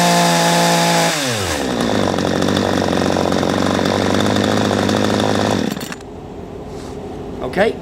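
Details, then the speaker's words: P1PE P6220C chainsaw after turning the low-speed (L) mixture screw 3/8 turn anti-clockwise to richen it and cure hesitation: picks up cleanly to a steady high buzz with no stumble and drops back smoothly. "I went another eighths of a turn anti-clockwise out with the screw the owl screw which is a low speed mixture just strength envelop a little bit and it's cured the problem"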